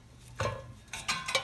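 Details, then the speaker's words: Reel mower being set up for backlapping: after loosening top screws and tightening bottom adjusters 1/4 turn each side, a few faint, irregular light metallic ticks as the reel spins; blade just touching bedknife, needs further 1/4-turn adjustment. "you hear that? You hear it just about hitting. So we're going to go a little more."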